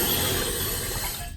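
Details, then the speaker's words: Toilet fill valve set too high (should be about 1.5 in above the overflow tube), so water runs into the overflow tube and down into the bowl: steady hiss and trickle, fading as the supply is shut off before adjusting it down. "So obviously it's too high. I'm going to adjust it downward. First I'm going to turn the water off so it doesn't make all this noise."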